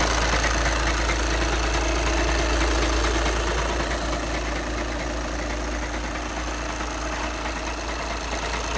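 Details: 2011 VW Passat B7 2.0 TDI CFFB 140 PS, DSG automatic, 277,000 km; diesel idle with even dull rattle about three per second from gearbox end; dual-mass flywheel suspected, not confirmed.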